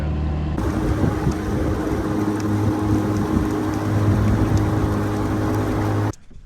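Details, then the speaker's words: Bass Tracker boat outboard on its first run after restoration, cruising on a run of about four miles without issue. Steady, even drone at one pitch over wind and water noise, no misses or surging. Owners note it wants to die at idle and suspect the in-tank fuel filter. "All right, we made it four miles. Ran without an issue. Running good."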